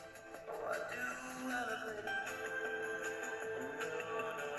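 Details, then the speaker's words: Repaired radio receiver, with a soldering iron used as the antenna, plays music clearly and steadily with no hiss, crackle or fading. "нормально грає гарно"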